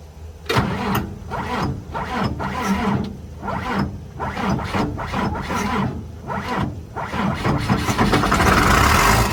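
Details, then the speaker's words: 29-year-old TimberJack 450-C skidder diesel, sitting 8 years, cranked on ether: slow rhythmic cranking at about four compressions a second with a few stronger puffs, nearly catching but not firing yet. "It just got the ether to it. I thought it was going to go. I really did."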